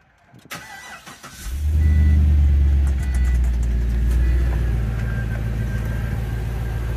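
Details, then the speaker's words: 2005 Pontiac GTO, 6.0L V8, 6-speed, 29,500 miles, cold start: starter whirr, then the V8 catches with a strong flare and settles into a steady, even, deep idle; really healthy six-liter. "right really healthy six liter"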